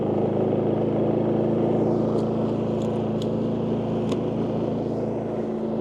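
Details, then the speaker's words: WEN 4800 W dual-fuel generator (DF480iX), just fired up first time after choke, eco mode off: smooth, steady hum at constant pitch, no surging, knocking or rattles, quieter than similar units; normal running. "All right, fired up first time. So overall impressions, now it's not on eco mode at the moment, and I can already tell this is actually a quieter generator than other ones that are, you know, kind of based off of this size model."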